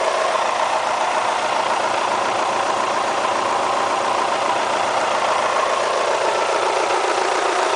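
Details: Kia Spectra petrol engine, 90,000 km mileage: steady idle with a dry, rapid, almost diesel-like clatter throughout, constant with no load change. The owner asks whether it is critical; the source is unclear.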